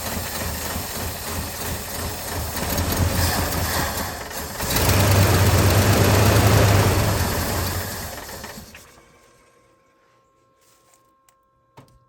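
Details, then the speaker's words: 1983 Ford F250 carbureted engine that previously didn't run, first start after adding fuel; low, even idle thump with no misses or knocks before it dies away, runs normally while it has fuel. "Well, it sounds like it's runs good when it runs."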